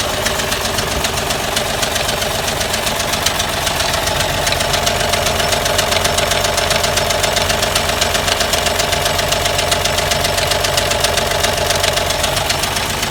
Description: An odd ticking noise cause by my push rods not properly adjusted led to the discovery of bad head gasket.